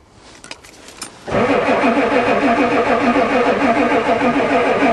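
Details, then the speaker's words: Ford diesel truck at +4°C, colder than it has ever started, with a newly fitted glow plug controller that never clicks (suspected not working). Strong even cranking that fired only slightly; diesel smell; cranks but won't start. "the old one used to do lots of clickings it actually fired a little here we go again try again it's cranking good come on try again I can smell the diesel"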